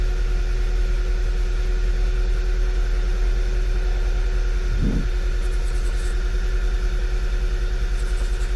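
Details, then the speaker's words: 2011 VW Tiguan four-cylinder at idle with P0300/P0301/P0303 codes, fuel pressure 870 good; regular thump over an uneven, stumbling pulse as a cylinder drops out; misfire traced to a loose ignition coil connector, coil harness replaced. "we do have a misfire i don't have a check engine light yet but we do have ms fire see the fuel 870 871 is more than enough we have a flashing"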